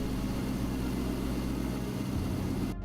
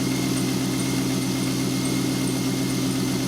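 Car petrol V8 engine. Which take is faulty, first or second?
second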